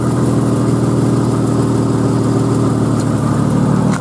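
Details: 1991 Jeep Cherokee XJ, 4.0L High Output six, hot, after a new fuel pump and fuel filter: a steady, even idle hum with no misses, knocks or surges; runs smoothly, though it still needs a head gasket.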